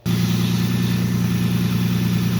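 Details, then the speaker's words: Lexus IS300 just after spark plug and coil upgrade, started seconds earlier and still cold, warming up: engine catches and settles into a steady, smooth low idle with an even beat, no misses or ticks; runs clean. "Now I just turned it on a few seconds before I turned the camera back on here. And you can hear it starting to warm up here. It's not hot, right?"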